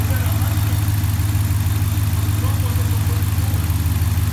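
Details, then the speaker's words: RAM 5.7 V8 (4th gen), warm idle after clutch fan delete with e-fan, new 160 thermostat, serpentine belt and idler pulley: low, smooth, even burble with no ticking, squeal or knock; really quiet and healthy. "sounds good yeah really quiet"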